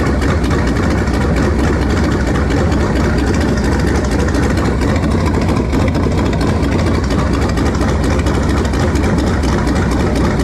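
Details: V8 after swapping to a 2-barrel carburetor, hole patched and taped, choke nearly open while warming: deep, steady idle with slight lumpiness. Runs better than before but mixture still not right, cause unconfirmed; slight smoke noted.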